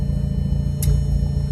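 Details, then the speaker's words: Audi TT big-turbo Haldex build, first start after long storage, once a loose ignition coil connector was reconnected: deep, even low rumble holding a smooth idle without stumbles, nearly at operating temperature, AFRs and vacuum good. "But now it is, and we've got a nice little idle."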